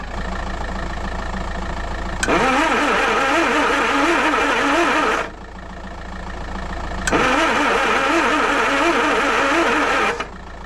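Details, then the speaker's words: Land Rover 2.25 petrol with refurbished Zenith carb and new ignition parts, choke partly on, no accelerator linkage connected: two three-second cranking bursts with even compression beats, never fires; owner suspects no fuel delivery and plans to check the fuel pipe. "Right, I think what I need to do is just take this fuel pipe off again, turn it over and just make sure that there's fuel"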